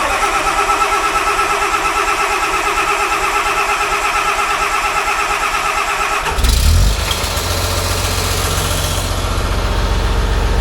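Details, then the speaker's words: John Deere 850J dozer diesel after second rebuild, start-up: settles into a steady, even idle with no ticking from the bottom end; sounds better, good oil pressure. "all right try again it sounds better I can hear it already"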